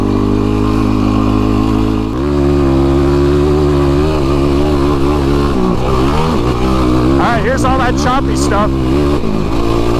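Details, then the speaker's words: YFZ ATV with a newly installed, custom-tuned Vortex ECU replacing the flashed stock ECU, ridden over rough, choppy ground and braking bumps: the single-cylinder rasp rises and falls with the throttle, never cutting out or stuttering. Throttle response is smooth. "Wow, that handled it way better, man. You guys might have heard that. That was smooth all the way through all that."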